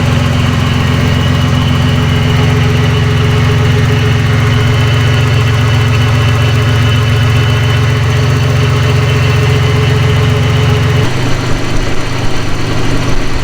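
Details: Nissan 300ZX, first start after a new timing belt, water pump, thermostat, plugs, wires and battery, with coolant added: steady idle with a firm low drone and even beat that settles lower near the end. Normal, nothing abnormal.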